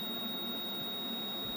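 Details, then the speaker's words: Pole Position arcade video PCB under repair, logic probe on the size-enable line at chip 9K pin 5: a steady unbroken high tone with no pulsing, so the signal is stuck and not toggling. "but if i go back to our 9k which is that size enable 9k pin 5 1 2 3 4 5. that is not good"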